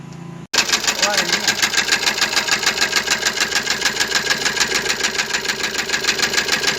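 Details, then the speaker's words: Maruti Suzuki Ertiga engine running with a strange internal knock: about three sharp, even metallic ticks per second over the engine; the system has been opened up to trace the internal noise. "जो alarms मैंने बांसवाड़ा कि यह Maruti Suzuki Hindi का है designer इसमें एक विचित्र आवाज आ रही है"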